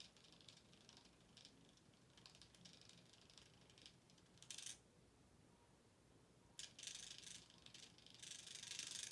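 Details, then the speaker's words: SCX24 1/24 scale RC crawler with Furitek ESC, 2040 inrunner brushless 2280kv motor on 2S, climbing: fast light ka-ka-ka rattle, about three to four clicks a second from metal gears meshing. Normal metal gear rattle, nothing wrong. "sound is the gears. And here I have those metal gears, and you could hear it go ka-ka-ka-ka-ka-ka. It's just because it's metal gears."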